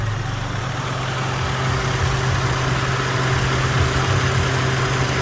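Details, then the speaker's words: 2010 Subaru Outback 3.6R Limited flat-six (H6), used trade-in, just after cold start; steady, even low tractor-like rumble reminiscent of old Volvo five-cylinders, no knocks, misses or surges; normal idle. "i just call it weird it sounds like a tractor when it starts up kind of reminds me of the old volvo five cylinders"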